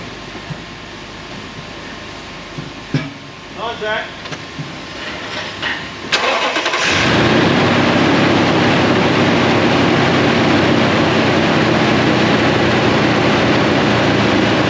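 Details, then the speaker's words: 2007 Toyota Tundra 5.7 V8, first start after replacing the secondary air injection pumps, valves and air inlet: brief crank, then it catches cleanly and settles into a steady, not-too-high idle with no knocks or stumbles. Slight smoke comes from anti-seize on the exhaust manifolds. "all right sounds good nothing went bang it's not too high of an idle"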